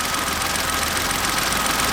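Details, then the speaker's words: Kia Picanto at idle with the belt off (aircon, idler and water pump ruled out): a light metallic rattle from inside the engine. Owner suspects timing or a bearing, not the chain; unconfirmed. "i reckon personally it's something to do with the timing maybe this sounds like a bearing to me it doesn't sound like a chain right or nothing it sounds like a bearing"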